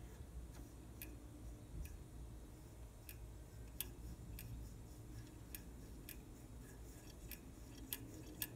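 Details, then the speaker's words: Trane heat pump outdoor unit just after compressor shutoff: faint uneven ticks about once a second over quiet hum, lasting 20-30 seconds; owner suspects refrigerant backflow chattering the TXV bypass liquid-line check valve. "okay just shut the unit off and you can hear that noise so that's the check valve apparently refrigerant is kind of coming back causing this check valve to vibrate"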